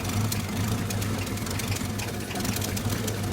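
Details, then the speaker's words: Old carbureted truck with new generator, voltmeter reading low: slow lumpy idle with uneven thumps, barely holding idle and rough; idle later raised via carburetor screw. "that's barely even idling you see how rough it is too"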